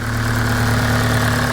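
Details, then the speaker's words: JDM Honda EP3 with a Toda exhaust, idling after startup. It is loud at first and quietens once warm. Even, steady idle with a smooth hum and strong intake sucking noise, no ticks or knocks; engine sounds healthy. "So you guys can finally hear the JDM EP3 all started up and running. It is a Toda exhaust there, and it is fairly loud upon startup, but it does quieten down after it's warmed up a little bit."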